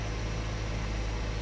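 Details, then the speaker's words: 2014 Subaru Forester XT (FA20DIT), about 55,000 miles, first start after spark plug replacement: steady low even idle with no misses, ticks or stumbles while warming up; sounds and feels normal. "so the car's making some noises everything looks good sounds good feels like normal"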